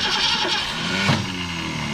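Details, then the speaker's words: Fleet car started for the first time in years with fuel poured in the top: starter whirs, engine catches briefly, then the starter jumps out every time it fires. "Every time she goes to fire, the old starter jumps out."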